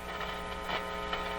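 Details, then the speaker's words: Canadian General Electric C701 console amplifier, warmed up, ear at speaker while volume is varied: steady low hum under faint ticking; sounds like an open cartridge or unconnected cable, record player also suspected slow. "a little bit of hum there i'm going to vary the volume listen well"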